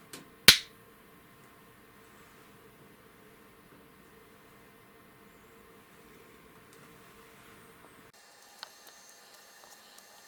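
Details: Panavia Tornado Gr.4 LRMTS Mk3 Nd:YAG laser fired at a black anodized aluminium plate: one sharp crack as the pulse hits the plate, then only faint room hum; the laser is firing normally.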